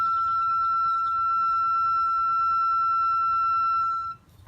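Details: 2013 Subaru Impreza rear wheel, pads and caliper removed, only parking brake inside: steady piercing squeal for about four seconds as the rotor turns, cutting off as the wheel stops; something rubbing inside the rotor suspected, not confirmed.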